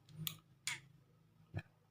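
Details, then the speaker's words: Motorcycle turn-signal flasher relay under test: three uneven sharp clicks within about a second and a half, then silence; bulb lights briefly then goes off without blinking, caused by a broken relay contact. "die Glühbirne geht an, OK, aber es blinkt nicht, versuche noch einmal aufmerksam zu sein, es geht für einen Moment an, dann geht es aus, OK, Freunde."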